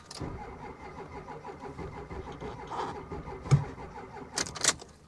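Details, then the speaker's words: Diesel Ford F250 cranked slowly on a booster pack: uneven cranking, a few brief catches, then dies; suspected lost fuel prime. "I'm telling you this is something that it lost its prime and there's no way we're going to be able to bring it back without killing the booster pack completely"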